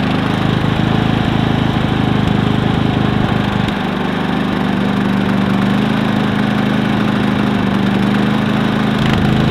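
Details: Predator 3500 inverter generator, 18 hours run time, running with the spark arrestor removed: steady drone with a faint rising tone and no stumble or surging; runs smoothly.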